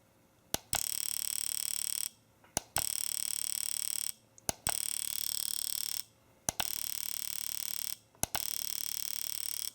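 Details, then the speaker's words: AllSun EM276 fuel injector tester in mode two, 50 pulses at 7 ms pulse width: short bursts of rapid, even clicking about every two seconds, each a fast steady buzz, injector pulsing normally. "so this is mode number two mode number two is 50 pulses at 7 milliseconds pulse width"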